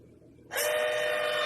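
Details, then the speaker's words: Arduino-controlled linear actuator on lawn mower pulling steel wire for blade control: sudden steady electric motor whine at one pitch, actuator running cleanly, switch clicks when pulled. "that's going to do is it's going to pull that switch back there you hear that click now it's pulled"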